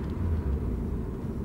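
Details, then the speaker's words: Road test coasting in a high-mileage car: steady low road rumble, no roaring or groaning that rises with speed; wheel bearings sound fine, normal road noise. "i just hear normal sounds i don't hear roaring wheel bearings i don't hear any groaning sounds normal"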